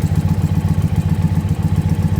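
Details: Warmed-up Indian Pursuit V-twin idling during a vacuum-gauge throttle body sync check while the gauge valves are adjusted: even lumpy thump, steady firing pulses, no knocks or ticks; healthy warm idle.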